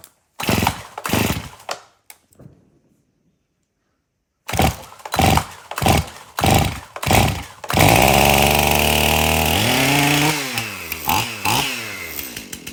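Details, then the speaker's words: Stihl MS271 chainsaw, hard to start, suspected bad fuel; after tank found clean and fresh mixed fuel added: several rough pull-start attempts, then catches, holds steady idle and revs cleanly; runs pretty good. "Okay, so the saw will now idle and rev up. It runs pretty good."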